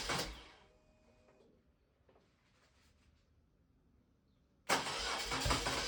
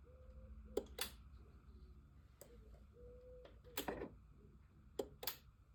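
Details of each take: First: BMW R1200C twin after fuel pump replacement and refuelling. A short cranking burst dies, then it catches cleanly and runs steadily: a healthy start. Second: BMW R1200C motorcycle at key-on: no usual fuel pump whirr, just a few sharp clicks from inside the tank; relays and fuses swapped with no change; failed fuel pump.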